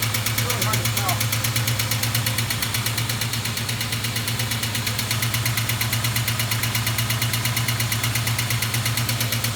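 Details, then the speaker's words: 1973 Plymouth Duster with 360 V8 built about 25 years earlier, cold idle after shutting off cold; crisp even clacking about two per second from one intermittently sticking lifter, goes away at full operating temperature; a rocker cover pulled to locate it. "see if i can figure out which side is clacking hopefully i pulled the right rocker cover it sure sounds like that side"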